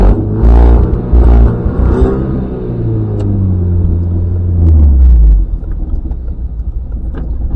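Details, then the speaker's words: Mazda MX-5 NB 140 after three trackday sessions, at idle: low, lumpy, uneven note surging and sagging near stalling, running on one or two cylinders; owner suspects an ignition coil problem. "je pense que c'est un problème d'allumage bobines sais rien écoute ça est prête à caler là quand je suis au ralenti c'est prêt à caler"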